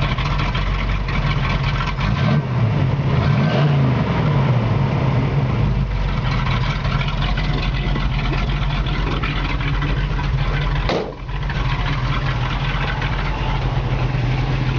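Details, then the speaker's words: Restored 1969 Pontiac Firebird convertible V8, rebuilt with about 1,500 miles, mild cam and brand-new exhaust: a deep, even rumble with a slightly lumpy beat, rising smoothly on throttle with no knocks; normal healthy idle and rev. "Like I said, it's got a mild cam. It's got a brand new exhaust. It sounds very nice."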